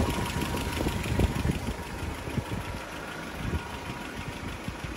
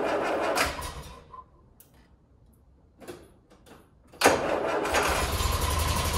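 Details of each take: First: Land Rover Series 3 idling after PCV valve installation and a bad first start, brake cleaner around carburettor pipes not changing idle: four-cylinder ticking over slightly lumpy but steady, no misses; acceptable idle. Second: Land Rover Series 3 first start after PCV valve installation: cranking stutters and dies out for a few seconds before the engine suddenly catches and settles to a rough idle, an unusual hard start.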